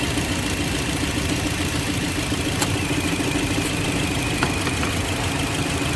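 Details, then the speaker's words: 2007 Toyota Yaris at idle with AC on: hunting, jerky running with uneven beats and occasional dips as one cylinder drops out; misfire traced to a faulty ignition coil. "कि अ मैं अभी गाड़ी hunting हो रही miss पर हो रही"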